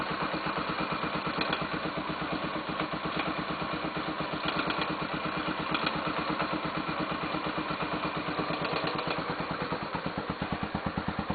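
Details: 2005 Honda Tornado 250, about 60,000 km, cold engine at low rpm: light fast tick (tec-tec, tic-tic) over the single's idle, changing with throttle and stopping fully when warm; owner suspects tappets rather than valves, oil change up to date.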